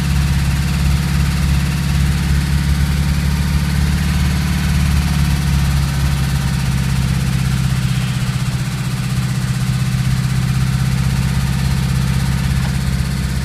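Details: VW Golf 2 1.3 at idle: dull, hollow knock around four times a second under the engine note; worn rod bearing shells knocking.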